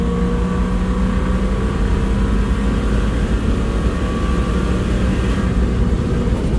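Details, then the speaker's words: Lexus LS400 V8 with a rear-mount turbo, early gentle miles, cruising on a dual carriageway at about 3 psi manifold boost: a smooth, even drone over road noise with no knocks or rattles. Sounds healthy. "it sounds bloody beautiful [Music] rather a demamp so 3 3 psi what a glorious sound"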